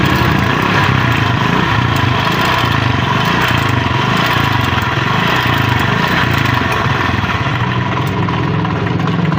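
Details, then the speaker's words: Honda CD70-type 70/78cc Chinese single-cylinder motorcycle idling, customer blames a jump: light, fast metallic rattle like a timing chain, traced via the timing chain tensioner rod; louder on one side of the engine. "Indian से आवाज आई है हल्के फूल आज जी तरह timing चैन की होती है लेकिन उसको जज करेंगे"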